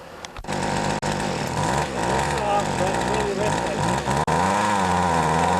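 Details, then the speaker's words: Older Poulan 2150 chainsaw with Walbro carburetor, carb deliberately untuned: two-stroke revving with burbling, uneven pitch, won't idle; running way too rich, fix is turning the low (left) screw in half a turn to lean it. "I can tell it's running way too rich so when that happens usually the case is that you got to screw in the low screw which is the left screw"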